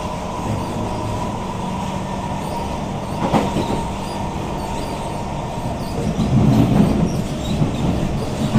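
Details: SMRT Kawasaki C151 train 075/076, car 1076 A1/B1 side, Boon Lay to Joo Koon, 10 Dec 2022: a rough rattling clatter swells in bursts as the train decelerates, also sometimes at high-speed acceleration. Strong burning smell reported, regenerative braking working; cause unknown.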